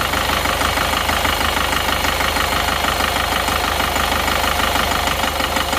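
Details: Isuzu Panther Touring New diesel idling before repair, with a rough, limping tak-tak knock and blow-by smoke from the oil dipstick. Injector nozzle pressure is released one cylinder at a time, starting with cylinder 1; the steady clatter turns uneven, so that cylinder is contributing.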